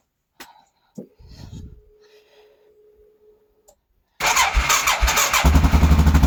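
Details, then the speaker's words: Quad not started for a while, battery a little dead: brief sluggish low starter churning, took a couple cranks, then catches once cranking fast enough and settles into quick steady beat; slow cranking from weak battery. "Battery was a little dead, so it took a couple cranks, but once it cranked fast enough, started right up."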